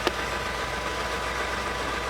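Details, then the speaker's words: Classic car with 1957 gauges, test start after renewed starter hookup, cables, wires and new marine key switch, charging at 14 volts: smooth, even idle hum with no knocks or misses; started up marvelously and sounds good. "she sounds good. Started up marvelously."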